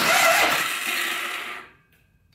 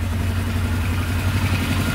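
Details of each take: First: Polaris Sportsman 500 4x4 ATV with a low battery, cranked on a jumper. Two high whirring spins of about 1.5 s each with no cranking beats; the starter drive isn't engaging, and the owner suspects too much friction near the clutch cover. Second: Polaris Sportsman 500 4x4 ATV after its no-spark problem was fixed. An even, steady single-cylinder idle with a low, smooth thump, no knocking or misses and no smoke; it idles as it should.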